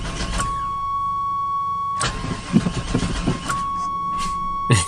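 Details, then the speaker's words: 1996 Chevy Tahoe bought sight unseen, suspected bad fuel, fuel gauge not moving; starter cranks in bursts with uneven thumps, engine kicks back and won't catch despite starting spray, no-start, cause suspected not confirmed. "it kind of kicks back [Music] should we spray it again it's stinking it's wanting to but it's not wanting to it's not happy"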